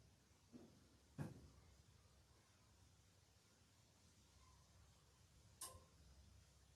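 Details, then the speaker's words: Automatic generator project engine during automatic start test, won't start: two or three sharp isolated clicks with no cranking from the starter motor solenoid. "auto okay so it's doing this thing again where it won't start so did this yesterday while we were troubleshooting and basically what's going on here is the solenoid on the starter motor"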